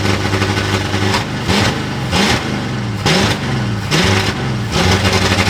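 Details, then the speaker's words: Ford Galaxie, 1960s, supposedly rebuilt V8 with 60 psi oil pressure, just fired up: revs blip and drop repeatedly, surging unevenly and never settling to a steady idle; rough running, suspected carburetor/fuel supply issues, replacement carburetor planned. "It runs, and it's got 60 pounds of oil pressure. It's got some potential carburetor issues that we're going to sort out."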